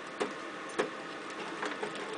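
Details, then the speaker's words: Compumotor CT series stepper motor drive, jumper in the third position: the motor hum is broken by irregular sharp clicks as it slips steps when held by hand, because the drive current is set too low; it stalls easily. "you see I can hold it in a still stall loosen the step because it's very soft and very gentle amperage"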